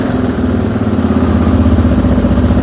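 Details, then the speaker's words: Restored Moto 4 single-cylinder engine, still a bit cool, with the choke turned off: uneven idle that hiccups and misses now and then without any throttle. "But it shouldn't hiccup. Yeah, see how it's kind of missing?"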